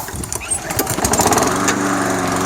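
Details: Toro SR4 Super Recycler mower, 159cc single-cylinder, running with the air filter on: it starts, then its speed swells and sags, surging from a suspected dirty pilot jet in the carburetor.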